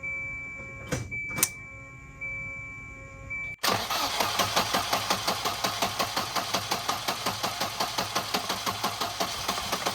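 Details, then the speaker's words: 1993 Volvo 245 wagon, turbo swap with a fuel problem. It starts easily after a couple of cranks, then chuffs about three beats a second with uneven surges. Rough running. "At least it starts really well, right? I think there's a problem."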